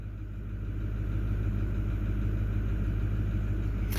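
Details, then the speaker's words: Ford 6.4 Power Stroke V8 diesel after replacing number three injector again, glow plugs run; deep, slightly uneven lumpy idle, smoking, ECU adding 19 points of fuel to cylinder three, still running rough, cause unconfirmed. "when it's adding 19 points of fuel the number three and it's still not running right that's not uh that's not a good sign"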